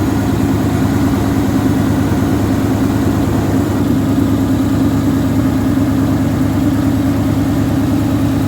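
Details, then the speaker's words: 1977 AMC Matador sedan V8 idling with a steady, even low rumble, no knocks, misses or ticks; runs well, though brakes are shot and heater core leaked coolant; normal idle. "i mean this thing it runs well it needs a few things"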